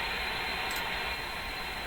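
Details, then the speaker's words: Receiver tuned to 912 kHz on an SDR during Philco 24T noise testing, quiet area away from interference peaks: steady even hiss with no tone or rhythm; background noise, suspected atmospheric but unconfirmed. "We hear a hiss. Now, that hiss is coming from this line. That sounds to me like atmospheric hiss, but I can't be sure what that really is."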